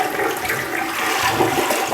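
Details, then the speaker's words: Toilet after replacing the fill valve with a Fluidmaster universal valve to cure squeaking: steady rushing flush with water swirling and no squeal or whistle; everything flushes correctly, no leaks; normal toilet flush. "Everything flushes correctly, no leaks, more importantly, right?"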